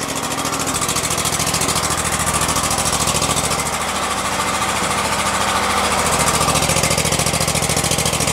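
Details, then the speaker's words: 2016 Exmark Lazer E-series 60-inch mower, 27 hp Kohler, about 3,800 hours, after work on the flooding carburetor: started on choke at half throttle, brief smoke clearing, then an even, steady idle with no surging; idles properly. "it's idling it's actually idling you guys all right smoke is going away"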